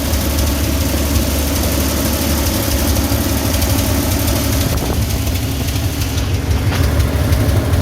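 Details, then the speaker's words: 1966 Chevy G10 V8, first run in 30 years, fed through a new fuel-pump line from a separate tank: steady, even low rumble with no misses or knocks; it idles smoothly. "Not running in 30 years, and now it's running idle and great."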